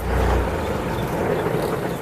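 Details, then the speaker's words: Tractor-trailer diesel started after a shop repair, which the driver suspects fixed a troublesome solenoid; key on, gauges cycle twice, started with no clutch. It catches and settles into a deep, steady rumble with some wind noise. Clean, healthy start. "I don't know, it's like, fuck, it sounds much better, you know, like there's more power. I don't know, it's like the engine starts from the first attempt, you"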